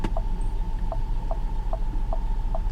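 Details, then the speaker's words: Salvage-auction car: steady clicking about every 0.4 s with a faint whine over engine idle while working HVAC buttons; suspected blend door actuator problem, not confirmed. AC compressor then kicks in and blows ice cold. "Let's figure out all these buttons. I hear a blend door actuator having problems."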